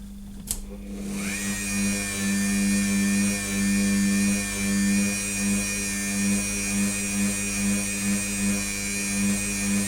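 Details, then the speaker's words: Repaired 12-year-old Dremel rotary tool that had stopped starting, now fitted with two new capacitors and a resistor, spins up to a steady high motor whine with slight speed wander from altered time constants; runs acceptably. "well let's say say it gives me some speed variation here this sounds nice"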